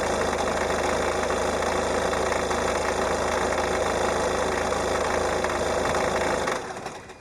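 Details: Peugeot 308 1.6 HDi 90 hp diesel, 66,000 km, cold engine at idle about 820–825 rpm: fast, fairly even clatter about three per second, gone above about 880–900 rpm. Cold-idle knock, cause unclear.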